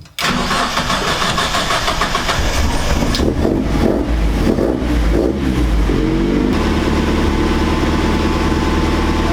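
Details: Owner's car breaks down: the starter churns steadily with uneven pulses but the engine never catches. The cam sensor gives an inconsistent reading even after cleaning, so the owner suspects it even though it may be new. Not confirmed.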